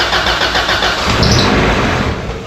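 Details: 1991 Honda Civic EF after starter replacement (previously only started by jumping the starter): brief crank, engine catches cleanly and settles into steady idle; new starter working normally.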